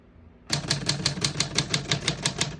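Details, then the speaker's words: 1946 Smith-Corona Clipper portable typewriter, single line spacing: crisp even keystrikes at about six a second, none skipped or dragging. All keys type well with nothing sticking. "As you can see, all the keys type nice and none of them skip or stick."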